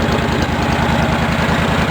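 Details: Cub Cadet 1650 four-wheel-drive conversion, engine running over an hour: steady, even low thrum with regular firing beat, no knocks or misses; normal running.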